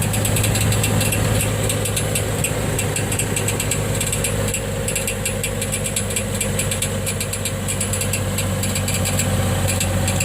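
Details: 2006 Trailblazer idling in gear on ramps, heard from underneath: a light metallic ting roughly three a second, not quite even, like a marble in a tin can on take-off, also setting off the knock sensor; starter pinion striking the flywheel.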